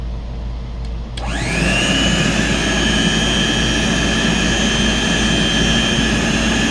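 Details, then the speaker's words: Vintage Hoover Compact C1 canister vacuum, well-used motor with worn commutator, cleaned and repaired: motor spins up and a thin, steady high-pitched whistle/whine rides over the airflow rush; stops when the inlet is blocked, so owner guesses odd airflow, not the motor. "It to me sounds like a almost a high-pitch whistling, and it doesn't seem to do it when I block off the uh inlet. So, I'm guessing it's air moving through in some weird fashion."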